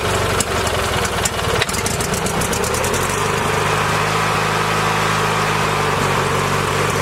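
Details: Engine with a battery dead for months, started on a compact portable jump starter: catches, stumbles briefly, then settles into a steady even idle with a smooth low rumble and no misses; normal idle.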